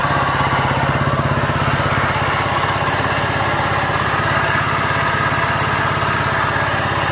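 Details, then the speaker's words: Honda Vario 125 scooter that seized, losing radiator coolant with coolant mixed into oil, freed with oil and started: fast regular knocking about three a second through idle; internal engine damage suspected, needs teardown to check crank bearing, con rod, piston, head. "nah dan suaranya Udah jelas ya itu di bagian mesin ini tanpa komponen persipitian ya teman-teman jadi wajib kita belah"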